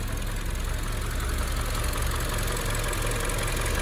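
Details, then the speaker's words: Toyota RAV4 idling in the cabin, parked on Auto Hold, AC off, windows closed: heavy, steady low thudding knock with strong whole-car shake, new and louder than before; idle knocking, cause untraced, needs dealer inspection. "啊，好吵的敲杆声呐！要检修了，应该是。"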